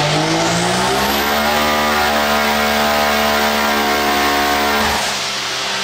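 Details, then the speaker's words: X3 side-by-side on a dyno: the note climbs steadily under full throttle, then stalls in pitch and drops off after about five seconds; power lays over mid-pull. "okay it sounded like it was laid over on that one for sure it started to come up and then uh wasn't happy"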